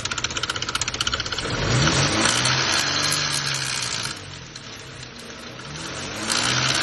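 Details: 2006 Nissan Xterra 4.0L V6 VQ40: timing chain rattles at idle, the noise dying out somewhat as rpm rises; the chain still hits and touches the plastic guides; slack timing chain, timing set replacement suggested.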